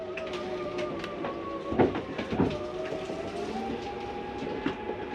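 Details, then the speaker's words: Flagstaff 8528BHSS travel trailer slide-out retracting, heard from inside: steady motor hum with light gear whine, smooth and quiet, and a couple of soft clunks at the end, which are the slide stopping itself; normal slide-out motor operation. "Comes in rather smooth. Nice and quiet too. When you hear that noise, it's okay to hear that. That's the slide telling itself not to go any"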